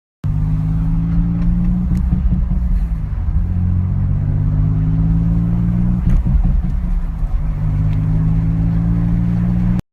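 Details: Infiniti G35 in limp mode, stalling at 40 mph downhill: idle sags and recovers every few seconds, a hunting idle caused by a piece of styrofoam stuck in the MAF sensor and a clogged air filter that tore the intake boot.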